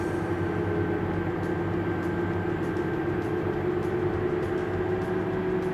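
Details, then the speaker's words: Tractor diesel pulling a massive load uphill at about 4.3 mph, 7–8% slippage, engine load 107–108%, burning about 31 gallons per acre: deep, labored drone with no rise in revs, engine lugging under heavy load, recovering at hilltop. "you can see already he's starting to struggle to get up this hill and you got about eight percent 7% slippage on it engine loads got up to 108 percent"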